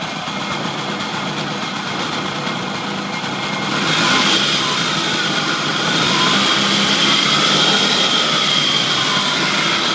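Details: Honda Lead 100 scooter at 19,900 km, running genuine Ultra 2 oil: high-pitched engine buzz that picks up a little, with a faint regular rattle. Owner suspects the model's known chronic fault.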